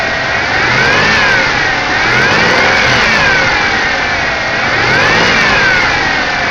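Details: Buick Regal supercharged 3800 Series 2, about 212,000 miles, revved under the hood: clean, smooth blips rising and falling with supercharger whine tracking revs, no misses or stumble; engine runs healthy.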